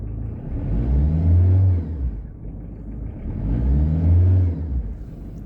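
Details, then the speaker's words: Car engine revved twice with the heater off: a whistling, whirring whine from the front timing/V-belt area rises and falls with the revs over the low rumble; a collapsed belt bearing was found, and the noise stopped after replacement. "böyle bir bir ıslık sesi gibi bir ses geliyor arkadaşlar"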